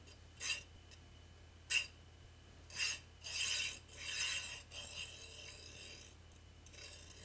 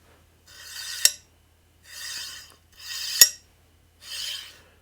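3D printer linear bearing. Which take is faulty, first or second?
first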